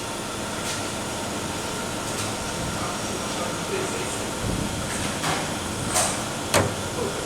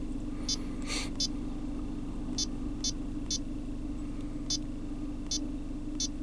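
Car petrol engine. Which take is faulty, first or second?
first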